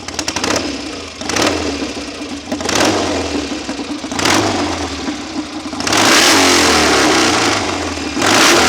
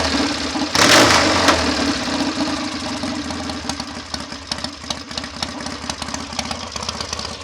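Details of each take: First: BSA A65 Hornet twin, engine rebuilt by someone else and thought to need bedding in, after carb, jet and plug work for uneven tickover: sharp throttle blips then a long held rev, climbing crisply with no misfire; sounds strong. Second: BSA A65 Hornet twin at idle, set faster than ideal, ticking over with a loose uneven beat and occasional falter; new plugs, swapped carbs, jets and leads changed little; right-side stammer off tickover remains, thick fibre jet-holder washers needing change.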